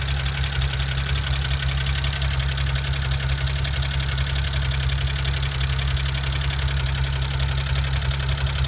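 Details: BMW N54 with JB4 (updated to V28), E85 flash, downpipes, FMIC, charge pipe with BOV, Borla exhaust and meth kit: lumpy, stumbling idle about one hiccup per second; misfires and lean codes 29E0 29E1 2A2B 2A2C on both banks.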